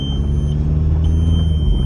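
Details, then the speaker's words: 2000 VW GTI MK4 with swapped-in TDI engine, driving: high steady chime repeating about every half second over low engine drone as brake, traction control and ABS lights flash repeatedly; cause unknown, ground problem suspected. "the brake light the um traction control light and the ABS light all come on and bleaking at the same time and it'll just keep doing it over and over"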